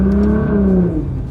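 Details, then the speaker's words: Nissan GTR tuned to 800 hp (1200cc injectors, 4-inch turbo-back exhaust with muffler, E85 flex fuel, custom Cobb tune): deep smooth exhaust winding down as revs fall, faint turbo spool whir and blow-off, no drone; normal exhaust and turbo sound. "Now you get to hear the turbos. You get to hear like the spool, the blow off."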